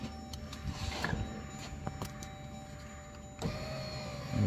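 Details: 2015 Jeep Grand Cherokee driver door window after glass replacement, glass clipped into regulator: short, smooth motor hum with light clicks, no binding; window works.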